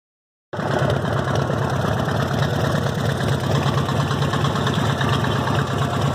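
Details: Harley-Davidson Evo V-twin at idle; loping beat with fast, light ticking on each stroke, owner unsure whether lifters or rod knock.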